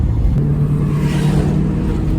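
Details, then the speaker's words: Ford EB2 Fairmont Ghia with 302 Windsor V8, first drive, dirty fuel tank. Deep, even V8 exhaust burble while driving, steady with no drone or boom; sounds good and unobtrusive. "It definitely sounds good. That exhaust, you can hear it's a V8, but it's not too intrusive in terms of, like, there's no drone or anything like that."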